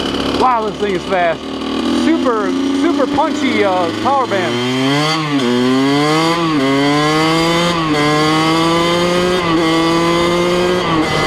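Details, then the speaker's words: 2003 Kawasaki KX100 junior motocross two-stroke ridden under load: crisp note revving freely up and down, quick throttle response, no misfires or rattles; pretty quick bike, healthy and strong. "So this is a junior style motocross bike, and it's pretty quick. Pretty goddamn quick."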